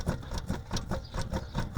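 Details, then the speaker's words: Ram 1500 wheel lifted: worn wheel bearing with play, rhythmic low rumbling scrape about five pulses a second, like grit or brake pad rubbing, heard when moving or braking; bearing to be replaced. "cuando se escucha así como un ruidito como si trajeras arenilla como si estuviera raspando a veces pareciera que fuera la balata Ese es el detalle"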